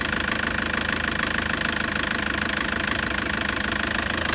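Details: 2013–2014 Toyota Prado 1KD-FTV diesel at 131,000 km, bonnet open; sharp regular knock about 140 per minute over rough clattery idle, suspected premature injector failure needing new injectors.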